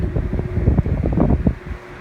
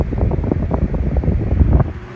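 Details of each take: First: Thrift-store GE 12-inch table fan on a test rig, run at high speed on 15 microfarads capacitance, drawing about 0.95 A: low irregular rattling over a deep hum as it reaches speed; base rattling against the table. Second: Thrift-store GE 12-inch table fan on a test rig, brought up to high after big inrush, current dropping as it speeds up, slightly under straight high on solid-state control: low even whooshing rush, no ticking or rubbing; normal.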